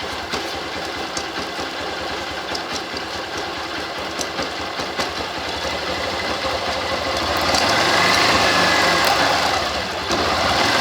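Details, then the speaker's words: Motorcycle running in gear with the rear brake applied for load: a tick about three per second, once per chain revolution, as the master link passes the sprocket; a mismatched master link on a worn chain; quiet in neutral. "então você pode observar que toda vez que o cadeado da corrente passava que fazer o barulho"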